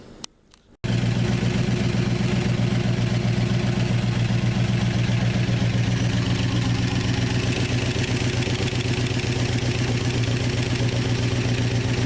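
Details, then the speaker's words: 1969 Dodge Dart V8 revived after sitting, with rubber expansion plugs in place of the freeze plugs. It catches and settles into a rough, smoky idle with a quick, even light lifter clatter that later quiets down. The points may be burning. "Well, the lifters have quieted down. That's good."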